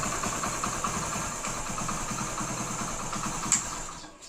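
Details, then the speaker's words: 2008 Hero Honda Splendor carbureted single: soft even idle with no knock under the beat, then shuts down; normal idle, bottom end sounds healthy. "இந்த 2008 model வண்டி பார்த்தீங்கன்னா ரொம்ப ரொம்ப ஸ்மூத்தா இருக்கும்"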